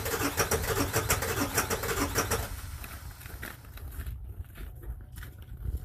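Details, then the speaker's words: 1999 Ford F350 7.3 Powerstroke diesel, faulty glow plugs, cold start at -7°C with AMSOIL Cetane Boost, second try: labored cranking about three beats a second, then rough uneven catch, not on all cylinders; hard cold start from faulty glow plugs. "it sounds like it's not even running on all cylinders quite yet. Yeah. So yeah, guys, without that cetane bottle, this thing would not start."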